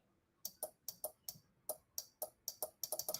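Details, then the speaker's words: Morningstar Relay Interface teardown, 5 V applied to the input logic: sharp dry relay clicks, about a dozen in three seconds, slightly uneven; relay switches normally, needs a powered 5 V input to drive it. "the click of our relay. Much success. Interesting. So that means that you, in fact, have to drive this with a powered input."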